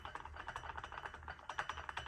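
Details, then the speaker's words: Jeep WK2 with 217,000 miles, clunking noise: quick light metallic clicks as the rear driveshaft is rocked by hand, play in a driveshaft joint; driveshaft replaced with OEM part. "that play that's the back of the drive shaft this is what the next to the transmission that play it actually wasn't this it's usually here where they go bad but it was this"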